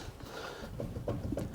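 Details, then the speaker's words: Rover 75 turbo diesel front suspension, wheel rocked by hand: faint dull clunks from free play in the lower wishbone ball joint, rough and needing replacement with new wishbone: worn lower ball joint knock. "That's the bottom ball joint moving. It's a bit rough."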